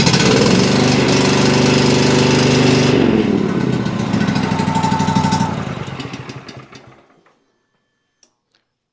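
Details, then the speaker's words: Cub Cadet XT2 riding mower with fuel-injected MTD PowerMore V-twin, seat switch bypassed, runs weak and labored with lumpy chugging about three pulses a second, then dies; plug-pull test confirmed only one cylinder firing. "definitely doesn't sound great. I've only done one thing to this and that was I've checked both cylinders to make sure it's firing on both cylinders and it is not. It's actually only running on one cylinder."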